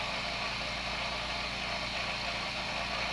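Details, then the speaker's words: New airbrush compressor running for a noise check: steady, even hum with a bright airy hiss and pressure blow-off, no knocks or rattles; quieter than the old two-horsepower unit. Normal running. "yeah that's not bad at all I can deal with that noise level"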